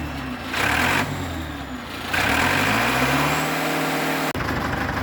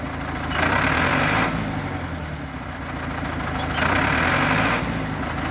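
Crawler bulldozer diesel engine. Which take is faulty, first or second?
second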